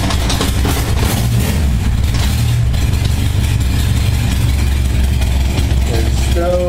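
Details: 1978 Honda Goldwing flat-four cold start at about 52°F after carb sync, choke on: deep steady smooth idle around 600 rpm, no misses or hunting; settles into nice idle after little warm-up, speeds up slightly as it warms.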